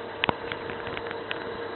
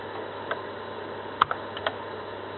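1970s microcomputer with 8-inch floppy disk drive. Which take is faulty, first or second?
first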